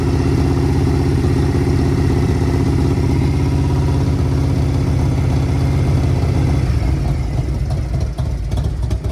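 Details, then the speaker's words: Original 1990s Harley-Davidson Ultra Classic bought at auction, choked, carb needing rebuild with some hesitation: deep, steady, loping V-twin idle with even beat and no knocks or ticks; motor sounds healthy. "Actually, that's not that bad. Now it's getting better. This bike is healing. But that motor sounds really good to me."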